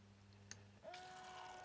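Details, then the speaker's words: Countertop ice maker fill cycle: a low hum and click, then a hissing rush as the pump sprays water into the dish with no level sensing, overflow returning to the reservoir. Normal operation. "Water is sprayed in. It stops, sprays water again, and it just keeps going. There's no water level sensing, just the presence of water."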